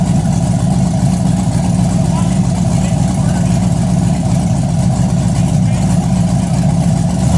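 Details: Chevy Blazer big-cam V8 just after first start-up, headers hot: deep, loud idle with an uneven rolling lope, roughly two beats a second, slow to return when pedal released; cam lope, running normally.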